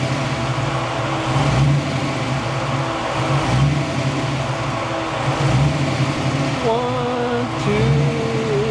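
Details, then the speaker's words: Ford Fox-body Mustang V8 with fuel injection, hot day: idle hunts up and down about every two seconds and won't go below 1,000 RPM whatever is adjusted; idle surge, cause not pinned down. "it wants to idle at 1,000 RPM no matter what I do to this system 1,000 RPM is what it wants to idle at nothing below that"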